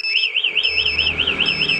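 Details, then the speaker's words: Honda CBR 150 old with BHT Gold smart key alarm: remote red button cuts the engine and disables starter; loud warbling siren around three kilohertz with steady high beep. "pencet tombol merah ini mesin mati dan alarm bunyi starter nggak bisa"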